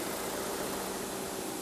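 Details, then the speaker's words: Ford Edge at idle with scope and pressure transducer fitted: steady even idle hum with a faint constant whine and no ticks, knocks or misses; engine runs smoothly. "all right it is running good all right that should be good"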